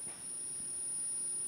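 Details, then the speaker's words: Re-EMF battery charger on strong charge drawing over 1.2 A: a faint, steady, very high-pitched squeal from the charger, suspected coil whine. Owner plans to tame the squeal with a small magnet. "Quietschen tut er nämlich auch. Dann ist mir in den Sinn gekommen, dass man gegen das Quietschen mit einem kleinen Magnet vorgehen kann."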